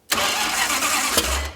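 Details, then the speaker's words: 1968 Dodge Coronet V8, four-speed, off the road for decades, open headers, first start attempt: engine catches for about a second and a half with a ragged uneven burst then dies; owner suspects late timing, possibly headers rattling. "Whoa. Hey, it's firing. Whoa. Did it spark or did you see I didn't see anything. I just heard a So, I said that's good enough. Sounds like late timing to me."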